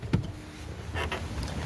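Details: 2012 Jeep wiper motor whirring with dull knocks and brief scraping bursts as worn wiper linkage lets the arms overtravel and strike the cowl and A-pillar.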